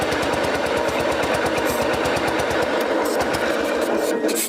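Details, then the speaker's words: 1959 BMW Isetta, first start after sitting over 40 years: rapid rattling pulses with odd mechanical edge over the running engine; source unknown, owners suspect dirt and crud in there. "Do you hear that noise though? It's kind of like, Yeah, I don't know what that is. A bunch of dirt come out of something. I bet it's probably just dirt and crud all up in there."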